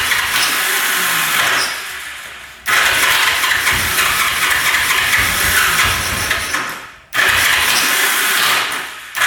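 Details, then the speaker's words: 1974 Yamaha TX500 sat 27 years in a barn, oil poured down both cylinders, choked: long starter bursts with uneven puffs that never catch, attempted about 50 times; cranks but won't start, compression low. "Well, I have attempted starting this thing probably 50 times now. Putting oil down there, trying to start it. you know, it puffs over a couple times and"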